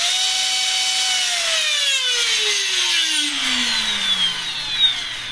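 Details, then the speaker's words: E-Razor 450 electric helicopter motor with Dynam ESC, brake set to off: high motor whine holds steady, then glides smoothly down as it freewheels, taking about eight or nine seconds to stop. "see how it's taking like eight or nine seconds to come back down okay"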